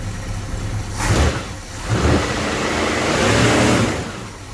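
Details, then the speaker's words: 1966 Ford Mustang 289 V8 after fuel pump replacement, unstarted probably 3-4 months: idle rises in two clean blips then one longer rev falling back to steady idle; healthy, purring engine picking up crisply. "Woo! Now that sounds good right there. I don't care who you are. That is what a good sounding motor should sound like."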